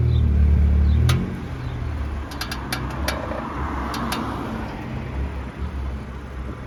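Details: BMW M2 with KW coilovers while driving: crisp light ticks in short clusters over road rumble; brakes, lower control arms and wheels checked, coilovers suspected, not confirmed.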